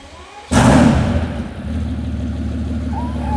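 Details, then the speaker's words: Mercedes S65 AMG, M279 V12, just after first start following full rebuild after oil starvation seizure: catches with a sharp blip, then settles into a smooth, even idle with a steady deep rumble; normal, healthy. "And she sounds sweet and amazing. Ho, ho, ho. I think this thing needs straight pipes."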